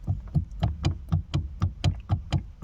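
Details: VW Passat B3, steering column removed: dull hollow clunks as the intermediate shaft is pushed, play at its joint to the steering rack, also knocks over cobblestones; owner unsure whether the rack is at fault or it is normal.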